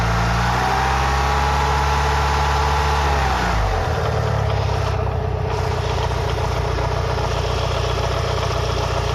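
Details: Mitsubishi Lancer Evolution VI 4G63T, fully warm with oil at 85–90°C, idling: dull knock about two to three per second; owner unsure whether it is rod knock or lifters, unconfirmed.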